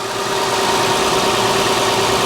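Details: 2011-2020 Toyota Sienna 3.5L V6 2GR-FE idling just after alternator replacement, battery reads 13.64 V so alternator is charging; smooth steady idle with even hum and faint belt-and-accessory whir, no ticking or knocking; normal idle.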